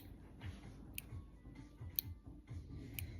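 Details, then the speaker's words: Omnipod 5 insulin pod filled with about 130 units, priming before placement: faint, evenly spaced sharp clicks about once a second in a quiet room, lasting about a minute; normal priming. "It's priming and clicking. Usually does that for like a minute or so."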